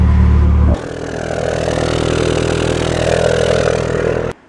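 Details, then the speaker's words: Nissan 240SX before repair: loud low rumble, then a strained, choked, raspy muffled rev that sounds really strange; exhaust clogged by an exploded catalytic converter, with a broken chunk jammed inside. "so before normal yesterday yeah yesterday I actually have a clip of that and it sounds really really strange"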